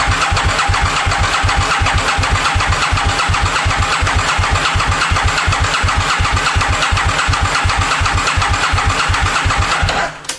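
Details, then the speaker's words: 2000 Aprilia Mille R (RSV1000), sat for years, priming oil by cranking without firing (fuel pump off via safety switch): steady starter cranking about three compression pulses a second, dry-sounding at first then quieting as oil reaches top end; normal cranking. "hear that you could hear how dry the engine was when the engine was pulling over from the bike setting because there has been no oil run through this in such a long time and it just quieted down"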